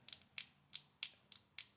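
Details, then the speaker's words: Chainsaw Zama C1Q carburetor that floods the engine and wets the plug. Flexing the metering diaphragm gives six sharp, dry crackles about every third of a second. Hardened, it stays stiff and holds the needle down: a bad diaphragm. "that is a bad diaphragm that is stiff and what happens is it'll stay stiff won't actuate"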